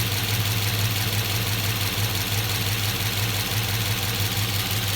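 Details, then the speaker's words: 1966 Chevelle with LS swap and fly-by-wire, started by pushing the button after fuel pressure comes up. Steady 650 rpm idle with a light, quick, even fuel injector ticking on top. Normal idle with injector tick. "and then all's I do is hit the button right up come dragged down to an idol a 650 rpm right away"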